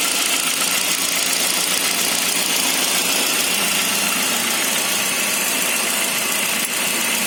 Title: Saab 9-5 cold engine strange noise